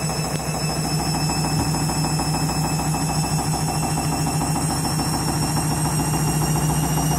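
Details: Washing machine spinning after a reset because it wasn't heating, owner fears it's broken: loud heavy droning spin with rough thumping pulse about three a second, suggesting violent unbalanced spin; erratic spin, cause unknown.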